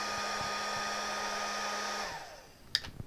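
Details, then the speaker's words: Bauer 20V battery-powered heat gun about 12 minutes into a runtime test: steady fan whir sinks in pitch as the depleted battery dies, then the unit cuts out into its six-second cooldown and won't restart. "i can hear it slowing down we're at 12 minutes i'd be surprised if we made it to 13. i think that might be it"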